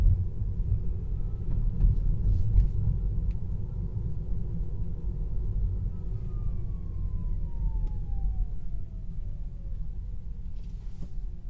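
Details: Tesla Model 3 Long Range AWD Performance, a few weeks after purchase, AC and music off: thin electric whine over road rumble when accelerating and decelerating, dropping in pitch as it slows; same in sport or chill and with low regen.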